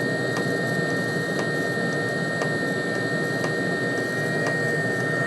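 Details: Webasto diesel heater run on a homemade 555/MOSFET replacement controller, no original ECU: even fan whirr, thin steady high tone, soft fuel-pump tick about once a second; normal running on low, though flame-outs noted.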